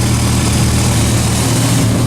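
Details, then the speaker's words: Turbo Dodge Ram SRT10 with a custom fender dump exhaust, heard from inside the cab at idle before the fix: deep, heavy idle with a buzzy rattle running steadily under the exhaust note; exhaust rattle. "just sitting in the truck you can hear rattling like crazy is driving me nuts"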